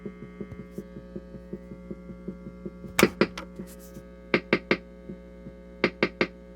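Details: Vintage NDK Automatic Rhythmer (Whippany Rhythm Master RM-10) drum machine: steady mains hum with rhythm pattern as soft throbbing thumps on the rock setting; filter capacitor not properly grounded, normally screwed to the case post.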